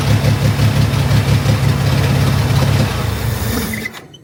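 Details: Chevrolet Corvair flat-six after major tune-up with new ignition system and carburetors, fuel lines reconnected, first start to check for fuel leaks: runs smooth and even with steady low beat, picks up cleanly when blipped, then shuts off; normal idle and revving.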